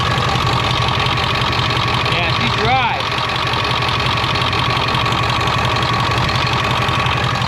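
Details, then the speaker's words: 1999 Ford F350 7.3 turbo diesel after high-pressure oil line upgrade, with stop-leak added for a power steering leak: steady even idle clatter, no misses or knocks, brief background chirp; sounds good, no leaks seen. "But other than that, it sounds good. I don't see any leaks."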